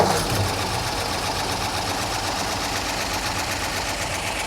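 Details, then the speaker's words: 1955 Ford F-250 start after sitting outside over 40 years, stuck throttle linkage readjusted, no oil or temperature gauge: steady, even idle with a soft patter, no excessive tapping or valve noise, almost no smoke; running normally. "man that sounds really good for 43 years hardly any smoke i mean almost nothing so that's amazing this truck is running super clean"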